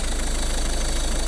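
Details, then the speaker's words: Used Ford Focus (third generation) engine at idle during pre-purchase inspection, recently washed engine, slight intercooler oil seep, no smoke: smooth even idle with steady low hum, no pulley whistle or chirp; engine runs normally. "ролик не слышно, чтобы свистел, но мотор в полну, в принципе, работает нормально."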